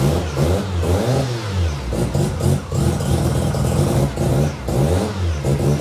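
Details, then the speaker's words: Newly rebuilt 13B Bridgeport rotary with injectors and igniter reconnected: catches after cranking, then revs in uneven surges with a buzzy low growl; first start of rebuilt engine. "so what i'm going to do is plug the injectors back in and plug the igniter back in and hopefully we have fuel we've got spark and we've got braps"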